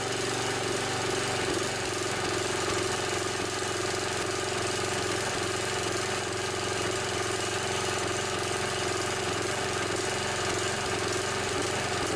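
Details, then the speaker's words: Snapper SR1028 riding mower, 10 hp flathead Briggs & Stratton, roughly 30–40 years old; uneven chugging beat with occasional stumbles, sputters a little, likely needs carburetor work but runs. "this one sputters a little bit probably use a little more carburetor work but it functions just fine"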